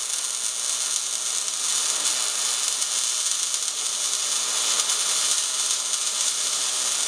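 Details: MIG welding with big nozzle, 200 inches per minute wire speed, 16.5 volts, drag technique: steady even crackle like frying bacon, no pops or sputter; a well-set short-circuit arc. Normal MIG welding arc.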